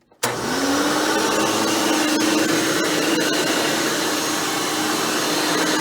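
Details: Hoover Elite/Dimension Supreme upright vacuum test run after a motor rebuild and fan replacement: motor spins up fast and settles into a steady, even whine with no grinding or rubbing. Normal motor run.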